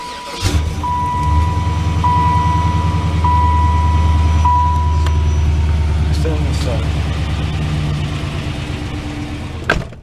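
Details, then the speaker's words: 2005-2009 GM truck idling, chime beeping; light quick regular ticking over the rumble, owner says loose rockers, valvetrain ticking suspected, not confirmed. "This thing has loose rockers. You hear that shit?"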